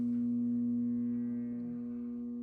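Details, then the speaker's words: Furnace with a pressure-switch fault code (3 flashes, 1 flash): steady electrical hum with no rush of air, as the inducer motor is seized and fails to spin. "And you hear this is humming. This supposed to be spinning right here, so I know right now that we got a bad inducer motor. Yeah, that boy seized up."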